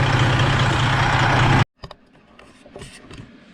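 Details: Truck diesel idling after a roadside coolant leak repair, the hose wrapped in rescue tape, double-clamped and refilled with coolant: a steady, even idle rumble with no misses or knocks before shutoff; a healthy engine with no further leak.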